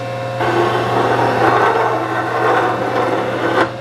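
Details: Antique Rockford hydraulic metal planer machining a rough iron straightedge casting: a steady harsh scraping through the stroke as the tool cuts the hard crusty casting skin, then it drops away.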